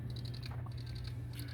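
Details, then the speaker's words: PS4 Slim during boot attempt: faint, rapid, regular light clicking several per second over a low hum; hard drive itself judged faulty ("cannot access system storage"), later fixed by replacing the drive. "i think that's the hard drive itself making noises so judging by that it sounds like the hard drive is faulty and isn't working properly"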